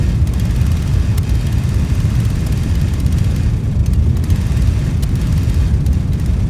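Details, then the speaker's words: Old Dixon zero-turn mower, sat in the woods about a decade, running on its own fuel after a new tank fuel line. A deep, uneven rumble with occasional stumbles comes from the plug lead left unconnected and arcing to the plug, causing a misfire. "actually i think i found part of the problem yeah i didn't connect that back up it was arcing to the plug"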